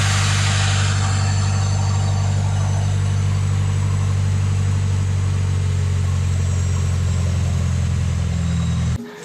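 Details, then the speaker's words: Car AC compressor running after two ounces of refrigerant were added. Steady deep hum with an even idle and no squeal or cycling clatter, and cold air is flowing. Normal AC operation. "компресор працює холодний воздух туди холодне повітря туди переправляється"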